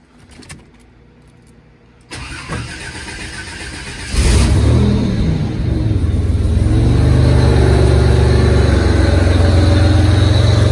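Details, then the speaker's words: Buick Grand National with new engine after cam break-in, restart: short crank, catches cleanly and settles into a steady, even low idle with no knocks or misses; normal start and idle. "oh you know what let's see if she'll fire right back up here we go let's take a look"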